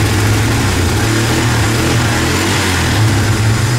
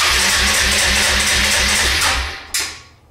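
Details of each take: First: 2005–2006 Suzuki Eiger 400 ATV single-cylinder, after carburetor rebuild, started on choke: steady even idle, picks up cleanly when blipped, good throttle response; normal idle. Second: 2005–2007 Suzuki Eiger 400 ATV before the carburetor rebuild, in neutral: the starter spins the engine steadily for two seconds with no firing; cranks but won't start, spark or fuel suspected.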